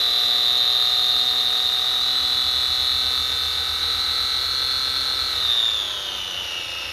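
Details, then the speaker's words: 3D-printed Frankenstein RC car differential (nylon spur and diff gears, PETG part) on the workbench, motor at full throttle: a high, steady gear whine that drops as the throttle eases; smooth, even mesh, no knocks. The whole bench vibrated. "The whole workbench was vibrating with complete mechanical efficiency. You could hear how efficient those gears were."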